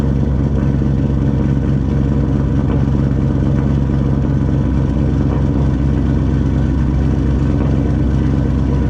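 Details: 2004 GMC Sierra V8 with rear-mount turbo, first start after fitting a new Turbonetics 78/75 ball-bearing turbo (old one pushed oil past its seals), intercooler piping disconnected, idling only: low even burble, no whistle, rattle or knock, no oil leaks; sounds normal and quiet.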